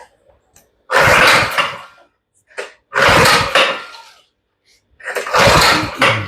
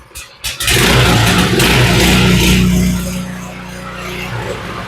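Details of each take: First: Baja (thought Coleman) 200 minibike with Predator engine, starter fluid added, choke off, fuel off: four separate bursts of cranking, engine never fires; crank, no start, old spark plug suspected, not confirmed. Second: Baja (initially thought Coleman 200) small single-cylinder minibike engine, started with choke on: revs up crisply then settles to steady, slightly low idle without misses; normal running.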